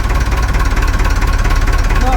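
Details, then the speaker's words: Perkins 4236 four-cylinder marine diesel in a sunk narrowboat, just after first startup; rapid evenly spaced pulses, steady low throb, no missing beats, no leaks. Normal idle. "That's full of water. No leaks. Engine's still sweet."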